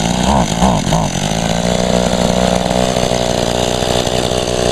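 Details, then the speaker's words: Echo two-stroke, barely used and started for the first time in about a year with little fuel: it revs in a few surges, then settles into a flat, labouring, boggy drone; it is fuel-starved as the tank runs empty. "she's kind of running she ain't running out that well it almost it's acting like it's going to run out of gas yeah she's very boggy though it's just because it's not much [Applause] gas"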